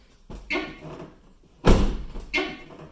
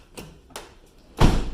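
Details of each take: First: Van door rubbing its fender when opened: harsh scraping squeal as door edge grinds against fender; to be fixed without tools. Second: Van door after being adjusted by closing it on folded cardboard to stop it grinding on the fender: two light latch clicks and a solid thud, no scraping; door no longer touches the fender.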